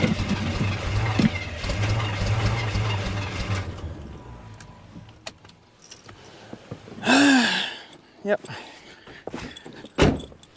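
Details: Suburban truck after distributor work and rewiring, 28°F morning: starter cranks steadily about four seconds with no catch or firing, then drops out; crank no start, owner suspects distributor, rings said shot.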